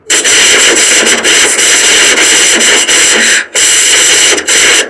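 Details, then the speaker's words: Windows 11 screen recording with harsh, loud buzzing hiss, steady whistling tones and brief dropouts: distorted audio. Suspected causes include wrong audio device, sample rate mismatch, corrupted driver, sound enhancement conflict. "are you recording your screen on Windows 11 but the audio sound is buzzing, or if you are listening strange sound like"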